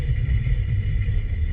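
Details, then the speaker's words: 2006 Nissan Altima under on-road braking, chassis-ear microphone 3 on the rear passenger side: uneven low thumping rumble pulsing through the chassis; shiny raised hard spot on that rear rotor, and both rear brakes sound faulty. "Alright, there it is right there. It's number 3. That's the rear passenger side."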